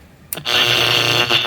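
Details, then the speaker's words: 1970s Panasonic RE-6289 AM/FM transistor radio, first power-up on AM at about 115-120 V: harsh, buzzy blare stuck at full volume; audio badly distorted and the volume control, turned all the way down, does nothing. "Volume is all the way down. Okay. I can't even turn the volume down any lower."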